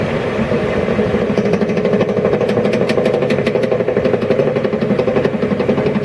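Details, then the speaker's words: YardMax YW7565 chipper, under 4 hours of use, fully greased, spark plug unplugged and wheel spun by hand: uneven clunk once per revolution, about four knocks a second, as the cutting wheel slows. Owner suspects a warped wheel or a bearing problem. "i'm gonna unplug the spark plug and just do a manual spin and you can hear the same sound clunk so it's every sort of one full revolution it makes clunk"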